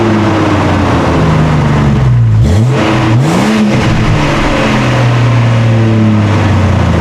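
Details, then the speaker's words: 1999 Jeep Cherokee XJ idling and blipped with the old Thrush welded muffler and catalytic converter, before cat-back replacement: steady deep rumble rising and falling with revs, droning tone, no leaks; normal exhaust note. "So I'm going to get the Jeep started up, and we're going to see what the exhaust sounds like with a thrush welded muffler with the catalytic converter. It's not too bad, but we're going to be replacing it with something different today, because I want to change the tone a little bit."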